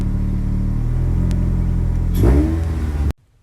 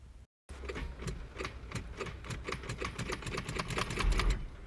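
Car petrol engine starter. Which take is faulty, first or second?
second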